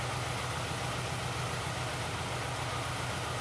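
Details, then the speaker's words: Ford Fiesta 1.0 petrol, misfiring after the underside of the engine was struck, idling with an uneven, lumpy beat; the ignition scope shows cylinder 3 with almost no charge time, as if its coil is dead. "observa eu fico esse lembro três ele está praticamente morto não tem tempo de carga e nem tinha no no final anterior tá praticamente nulo aí o o tempo de carga dele"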